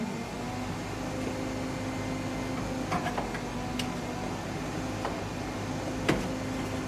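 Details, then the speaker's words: 1967 Chevy C10 Stepside barn-find heater, controls repaired last winter now misbehaving: steady blower hum drops out, then returns with switch clicks; speed changes when the switch lever moves, owner suspects the speed switch, low not working well. "did you hear the speed change that was moving this ah okay yeah the switch is just a little funny"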